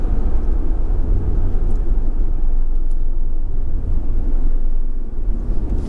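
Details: 2004 Jaguar XKR V8 with upgraded exhaust, four of five silencers removed, cruising 1400–1600 rpm: steady heavy low-pitched boom with no knocks; exhaust drone, owner suspects bumper reverberating via attachment brackets.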